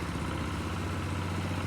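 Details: Nissan CDA20 90hp marine inboard (old original engine) with Z-drive sterndrive on a newly assembled 6.30m boat, launch test; even steady low idle with smooth regular beat, no knocks or misses, normal idle.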